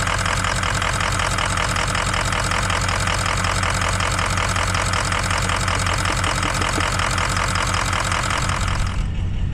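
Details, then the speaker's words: 2003 Ford F250 6.0 Powerstroke diesel just after a cold start, with no blow-by, Archoil friction modifier just added to the oil: uneven clatter about twice a second, rough for its first 10 minutes until warm; owner attributes it to stiction and suspects the injectors. "right so i don't know if you can hear but it's running pretty rough and that's normal the first 10 minutes or so after i start this thing it is useless"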